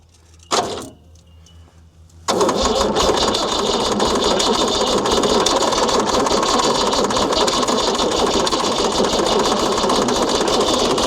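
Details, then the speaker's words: Ford D Series diesel truck, sat 28 years, first start attempt with oil pressure unchecked: after a clunk and pause the starter grinds loud and uneven with a ragged chugging beat. The starter sounds rough and smoke can be smelled. "Starter sounds a bit rough on her. You can smell the smoke out of it."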